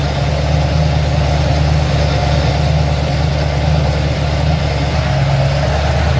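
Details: Ford XC Fairmont 351 V8 on a run stand with Thermoquad carburetor, choke left unset: steady even low burble with a loping idle beat, no knocks or misses; owner judges it runs well.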